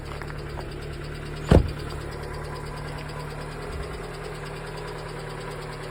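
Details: Lada Largus: even idle with a faint, fast tapping from the top end and one loud thump early on. Suspected hydraulic lifter knock, unconfirmed.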